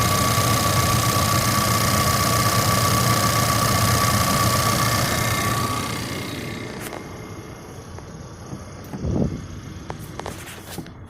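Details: New 2020 Ford Ranger at about 310 miles, just after a cold start at 60°F: steady high buzz with quick even ticking rattle; eases but persists when warm; owner's stethoscope locates it at the top-mounted direct-injection pump.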